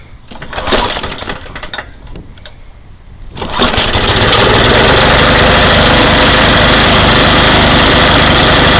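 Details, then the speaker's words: Briggs & Stratton lawnmower engine after cleaning the carburettor (diaphragm still to be replaced): a couple of pulls, then catches and holds a loud even buzz without surging or misses; runs okay. "up yeah I just shut it off so it works okay"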